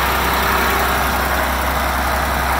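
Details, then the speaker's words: Hyster H80C forklift, non-running when bought, first start fed from a water-bottle fuel supply with electric fuel pump primed: steady, even idle, smooth low rumble with no misses or knocks; running cleanly. "Hey she's running good what she's read it really good oh man that's awesome"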